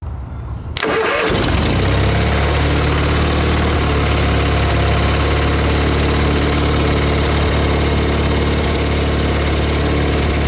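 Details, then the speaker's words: A tractor that sat all winter starts on a GoldenMate 12.8 V 20 Ah LiFePO4 jump-pack battery after its circuit breaker tripped and reset. It cranks briefly, then settles into a steady, even idle while warming up, with no knocks or misses; it sounds healthy. "All right, let's let it run for a little bit. And then I'll put the regular battery back."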